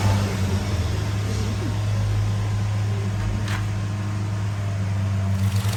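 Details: Skoda Kodiaq 2.0 TSI, engine code CZPA, 132 kW, with fault codes P0506 idle rpm lower than expected, P0300 random/multiple misfire and cylinder 1 and 3 misfires: low, lumpy idle with uneven throb and occasional stumbles; engine misfire, rough idle.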